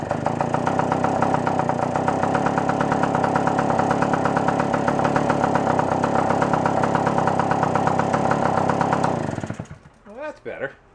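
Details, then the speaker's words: Puch moped two-stroke after carburetor reassembly: burbly, uneven beat that never rises to a clean high scream before shutting off; won't rev out fully, no bog; owner suspects slightly rich needle setting. "it didn't bog at all so it actually sounds like it might be a little too rich you can kind of hear it doesn't want to just quite scream all the way"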